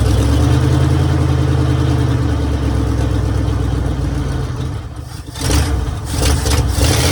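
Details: 1966 Mercury Monterey big-block Ford V8 after a fuel leak fix; steady deep rumble, then clean throttle blips rising and settling smoothly, "running like a top"; normal running and revving.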